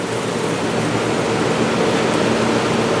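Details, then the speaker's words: Hotpoint/GE Quiet 8,400 BTU air conditioner with rotary compressor, just cleaned and reassembled, starting up: fan rush with uneven wet splashing underneath from leftover cleaning water sloshing in the back base pan, not a fault; unit cools quickly. "can probably hear that uh water slashing around in the back cuz I didn't dump all of it out"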